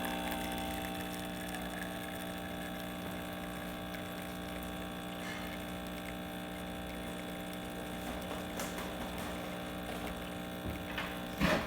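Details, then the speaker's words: Breville 900 espresso machine after a full service (top-of-boiler leaks fixed with new gaskets, loud start traced to a solenoid valve), manual pre-infusion test shot: steady, even pump hum with brief clicks, good pressure, normal operation. "we'll do manual zoom pre-infusion now following a shot good pressure"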